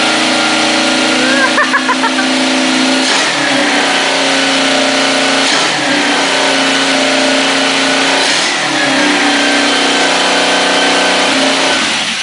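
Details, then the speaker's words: Kawasaki KZ650 motorcycle engine after adjustment, revving up and falling back cleanly with an even exhaust note, no knocks or rattles; now steady and quieter than in the earlier clip, running normally. "Máy sau khi đã chỉnh xong thì cái tiếng nó đã ổn định và nó không có to như cái clip clip đợt đầu"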